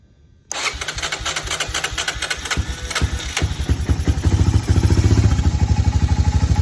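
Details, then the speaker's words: Honda FourTrax 300 4x4 ATV, parked 5 years with gas drained, after carb cleaning and fuel flush: catches instantly after short crank into quick even single-cylinder putter; normal start and idle. "What? What? Are you joking me? Are you joking me? That has to be the easiest four-wheeler I've ever got running."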